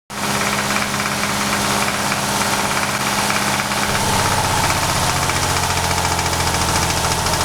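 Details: VR6 24V idling with a deep, rhythmic knock whose note shifts midway as coils are pulled one by one to locate a suspected rod knock. This is consistent with a worn rod bearing.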